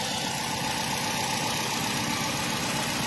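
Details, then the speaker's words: Nissan Y12 petrol engine idling with a stumbling beat; cylinder 4 misfire despite new genuine spark plugs, swapped coils and good compression; the scope showed no pattern on cylinder 4, and idle improved when the wiring harness was moved. "we performed on a 6 scan cylinder 4 does have a misfire right we already did a compression test and it's still the engine has good compression but we still have enormous fire right"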